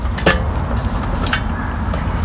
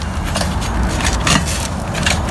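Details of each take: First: Fiskars StaySharp Max 18-inch reel mower during blade adjustment: light metallic ticks once per turn as one reel blade strikes the bed knife, needing counter-clockwise adjustment. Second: Fiskars StaySharp Max 18-inch reel mower after counter-clockwise blade adjustment: hand-spun reel whirs with only light even clicking, no hitting; all blades now clear the bed knife.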